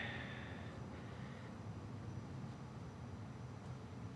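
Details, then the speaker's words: Carrier Infinity 98 modulating gas furnace, first startup of the season, doing its system check of duct static pressure: only a low, steady blower rumble with nothing else cycling; normal blower operation. "And right now it's checking for the static pressure in the ductwork and everything, make sure there's no problems. So that's why you hear the fan blower running, but nothing else happening."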